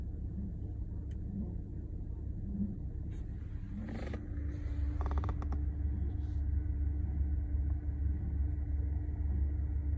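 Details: Low rumbling idle with a faint uneven pulse about three beats a second that never settles smoothly; rough idle, cause unclear.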